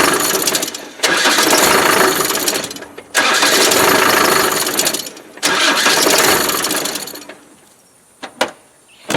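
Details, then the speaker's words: Land Rover Defender from Ghana; harsh whirring starter cranking in three roughly two-second bursts with pauses, then sharp clicks; starter sounds wrong, cause unclear; engine also slightly smoky and losing vacuum. "I don't know what's wrong with that starter."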